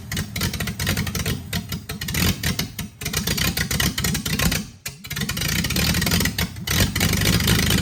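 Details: Freshly rebuilt Triumph TR6 six on first start, cold, on chokes, carbs not yet adjusted; runs unevenly with surging revs, dips and a brief near-stall.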